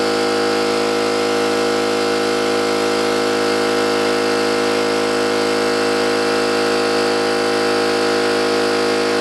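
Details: New oil-lubricated Campbell-Hausfeld air compressor, replacing an old Brute with a leaking unloader valve, filling its tank from start with drain valve closed: smooth, even hum and steady pump beat with no metallic clatter, unlike the old one; healthy, normal pump run, warm afterwards.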